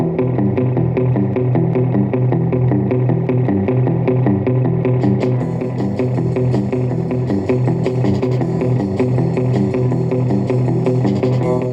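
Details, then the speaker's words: Kriesler radiogram after repairing bug-eaten speakers, one speaker per side: clean music with full, steady bass and no rattle, buzz or distortion on peaks; speakers working as they should. "speakers sound good. I think the speakers are working surprisingly well."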